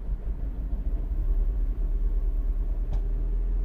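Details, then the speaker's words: 2009 Mini Cooper S R56, 1.6 turbo petrol, code 2880: rail pressure stuck at 0.76 bar against 5–6 bar demanded. A rough, uneven idle with stumbles and an exhaust rattle: misfiring all over from low fuel rail pressure. "the car runs really really poorly it starts to misfiring all over the place"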